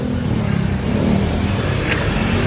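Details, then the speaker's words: 2018 Toyota Vios idling: rough uneven low churn with faint gritty rattle from the front; water pump badly worn and loose, source of the noise, not alternator or compressor. "Bossing yung water pump. So dito lang gagaling yung ingay. Kaya kung kayo may naririnig kayong ingay sa inyong mga sakyan na tulad ng Toyota Vios, water pump agad ang tingnan nyo."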